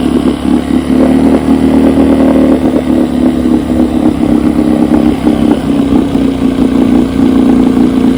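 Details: 1972 Evinrude 9.5 HP two-stroke outboard carburetor after rebuild with a new kit and gaskets, test-run on a test motor: steady, even buzz with no misses, surging or knocking.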